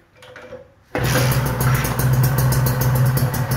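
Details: Kawasaki Ninja two-stroke after engine rebuild, head refitted: fires after a second of silence, settles to a steady, quiet idle with no knocks or rattles; healthy, apart from a harmless primary/secondary gear whine.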